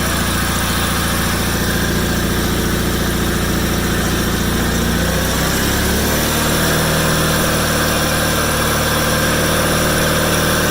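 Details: 1987 John Deere 318 tractor, 1200-hour Onan P218G twin (B48G oil pan and starter swapped in), after starter replacement and wiring fix, parked since December: even putter easing down in speed partway, then holding a steady, unbroken beat; idle smooth.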